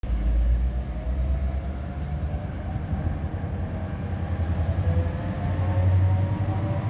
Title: EMD G16 "Kennedy" (ŽFBH 661-309) hard start